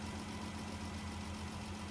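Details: 2017 Dodge Journey with code P0202, cylinder 2 misfire: steady idle with a soft, uneven lope, one cylinder not pulling; 12 V present but no control signal at injector 2; dead injector from a failed PCM injector driver.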